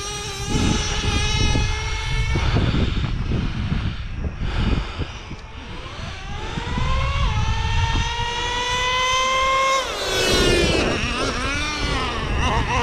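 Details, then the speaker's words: Brand-new Traxxas Revo 3.3 nitro engine after break-in, low-speed set and high-speed needle leaned for more power: high nitro buzz climbs cleanly through revs and drops back without bogging; running well, temps good. "Guys, I got this thing running amazing. My temps are good."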